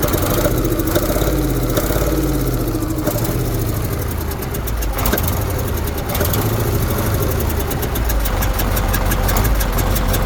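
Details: KAMAZ diesel engine idling: steady rapid ticking knock over the low rumble; knock from inside the engine, cause not pinned down.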